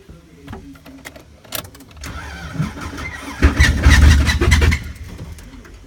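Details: 1999 Subaru Legacy wagon after a demolition derby, broken timing belt cover, sitting a few days: uneven cranking about twice a second, catches roughly for a second or so, then fades. Hard start from destroyed timing.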